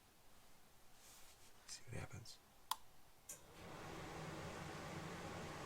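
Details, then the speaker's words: RV propane furnace after upgrading to a Honeywell Pro 1000 digital thermostat, called for heat: a few soft relay clicks, a sharp snap, then the steady rush of the burner igniting; normal furnace ignition sequence. "do you hear that just ignited means it working easy enough huh"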